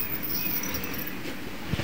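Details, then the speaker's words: 1997 Chevrolet Cavalier creeping forward: thin, high squeak over a low rolling rumble from the front brake pad wear indicators, small metal clips rubbing the disc, before the pads are replaced. "sound is the wear indicator I will show you what that is here in just a minute"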